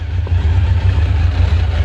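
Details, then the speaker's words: 1986 Kawasaki Concours ZG1000 after its carbs were reinstalled and the airbox mostly fitted, with the idle raised for starting; the owner says it runs pretty good. Deep, steady four-cylinder exhaust note with even firing and no stumbles; normal running. "okay I could probably turn the idle down a little bit there you go I buffed it up when I started it but it runs pretty good"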